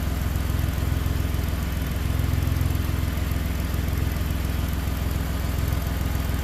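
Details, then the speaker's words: 2011 Ford Explorer idling after first start with new powertrain installed, no dash lights; smooth, steady low rumble with even firing beat, no knocks or misses; normal idle. "Oil is flowing. Purring like a kitten. Listen to that."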